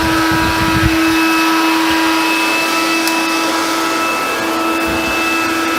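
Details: Hoover Convertible (Dial-A-Matic) U1124A vacuum after removing old filter medium blocking it: steady, even motor roar with clean constant whine, no surging or rattles; running normally.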